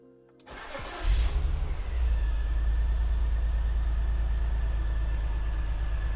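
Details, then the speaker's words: BMW E46 330Ci Clubsport, M54 engine, off the road 7 years, after replacing a leaking intake boot: starter whirrs, engine catches into a lumpy uneven idle with a recurring stumble; misfire still present. "Nope. Still fucked. So what I'm now gonna do is just go through a process of elimination and try and work out which cylinder has the misfire."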